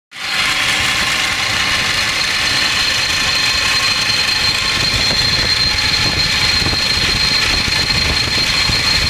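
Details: 2006 Ford Expedition 5.4L V8 idling: a harsh, gritty whir with a thin high whine over it. The idler pulley bearing had been noisy for a while and suddenly turned awful on the drive home, so the idler is failing.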